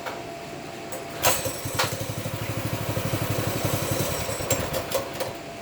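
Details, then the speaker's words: Baja Warrior 200cc single-cylinder after loosening the chain, choked, throttle cable not yet right: even, fairly quick thumping with a few rattles; runs a lot better than before, normal running. "And we got the chain loose. It actually runs a lot better."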